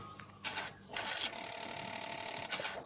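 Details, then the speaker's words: Daihatsu Xenia/Toyota Avanza ISC valve check for high or fluctuating idle RPM: ignition on, engine off, brief crackly clicking bursts from the valve show it moves up and down — normal idle control valve clicking. "Bila terdengar suara kretek-kretek atau bunyi krek-krek ya seperti motor, maka disimpulkan bahwa ISC valve itu normal. Artinya valve ISC bisa bergerak naik turun."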